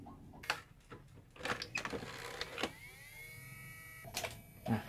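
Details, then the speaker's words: 1984 Sharp VC-300FB VHS VCR: after mechanism clicks, the separate DC reel motor whirs about 1.5 seconds with nothing commanded, running even in stop mode and rewinding. The controller circuit or H-bridge driver IC is suspected, not confirmed. "the motor running again ! The crux of this problem is the reel motor works abnormally. This mechanism uses a separate reel motor, it's a DC motor."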